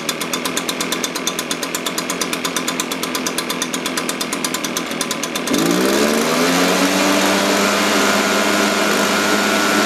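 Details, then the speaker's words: Echo PB-580T leaf blower after a carburetor adjustment, previously bogging on throttle: idles with a steady beat and revs cleanly; low-speed mixture still slightly rich. "okay very happy with that so just a little a little rich it's tightening it up a little bit"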